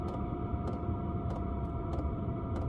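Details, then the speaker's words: Chinese diesel heater fitted in a small van, two years in use, after reaching full temperature: the fan and fuel pump slow down, giving a steady low fan hum with a soft regular pump tick about every 0.6 seconds. This is normal operation. "the fan slowing down the fuel pump slowing down and that is really the only annoying thing about it that tick it is"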